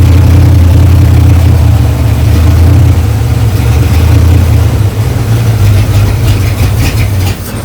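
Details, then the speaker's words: 1935 Ford 3-window hot rod, 327 V8 with six 2-barrel carbs and a 4-speed, fired up after a few years in storage, before the linkage fix: a loud, deep engine holds high revs and sags slowly instead of returning to idle, because the throttle linkages weren't returning. "when I fired it up the other day it was revving up and when the linkages weren't kicking down but I found the guilty culprit"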